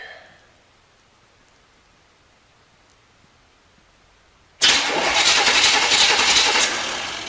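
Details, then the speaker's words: Non-running 1973 Corvette C3 bought on eBay, cranked to check ignition through a too-short plug wire: the starter turns steadily for about three seconds but the engine never catches. Only a very weak spark jumps the large gap; crank, no start. "yep I can see the spark I don't think you guys could probably see that um on the camera but it's a very weak spark it's a pretty large gap jumping from there to there"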